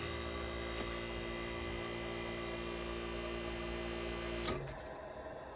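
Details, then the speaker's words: 1965 Fedders Weather Wheel air conditioner (115V, 12,000 BTU/h, R22) with a Tecumseh AJ reciprocating compressor, AJM15-94, at shutdown after a good run: an even hum and buzz, then a click as it winds down. It ran smoothly. "Get you the R22 sounds that everybody likes."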